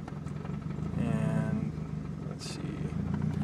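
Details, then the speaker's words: M42 turbo engine on MegaSquirt with tuner's original tune, warm at full operating temperature, air-fuel about 14.5 at best: low, uneven beat that wavers and stumbles; hunting rough idle, stays running with throttle, owner thinks it needs leaning out. "see now if I put my foot into it a little bit then it starts and it will stay running so that's telling me that I need to lean it out at least that's what the mega manual says"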